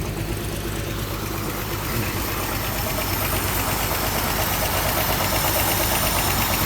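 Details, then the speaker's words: 1936 vehicle on its first run of 2022 at about 70 degrees: steady idle with faint regular light tapping, about three knocks a second; owner thinks much of it is the clutch throwout bearing, unsure. Light knocking at idle. "Still hear that little bit of knocking, and some of it is the clutch, the throwout bearing. I think a lot of it is."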